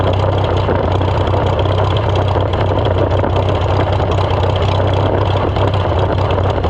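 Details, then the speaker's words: Farmall F-12 tractor on steel, auction find being revived: loud, low chugging at a fairly steady pace but not fully settled; runs worse with air-cleaner piece fitted, owner suspects air cleaner restriction and carburetor needing rebuild. "It does not like that piece fitted on. So, let's take it off for now. Second time I've done that. It is entirely possible that uh there's a restriction in the air cleaner that probably needs cleaned out."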